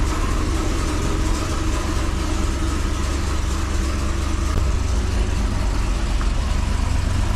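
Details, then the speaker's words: 2005 Chevrolet Corvette V8, first start after head gasket replacement (LS9 gaskets, head studs, headers): deep steady burble, even low pulse, no knocking or misfire; idles smoothly, healthy. "all right guys the car started without any major issue"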